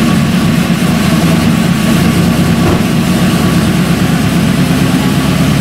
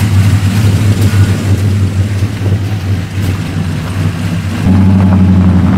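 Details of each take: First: LS V8 first start after installing LS7 roller lifters, Yella Terra roller rockers and LS9 head gaskets: busy idle with fast light ticking over the top from lifters not fully pumped up with oil; hoped to quiet as they fill. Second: LS V8 truck on first road drive after a Yella Terra roller rocker, LS7 lifter and LS9 head gasket install: pulls up through the revs with a steady drone, no knocks or ticks under load; successful initial run.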